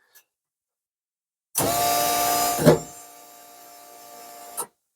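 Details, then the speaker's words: Mk1 Ford Capri with turbo Rover V8, first start attempt after wiring the ECU and fuel system, ignition on: few seconds of steady electric whir easing off then cutting out; fuel pump priming normally. "so if we put the ignition on the fuel pump should Prime what hasn't hang on oh yeah yeah yeah there we go"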